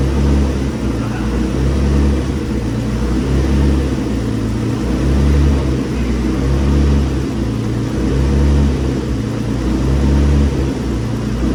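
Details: Infiniti G35, very high mileage, first start-up after twin-turbo install on a base map ECU tune: steady deep idle with a gentle slow swell, no knocks or ticks; running smoothly, some smoke from heat shielding wrap. Normal idle.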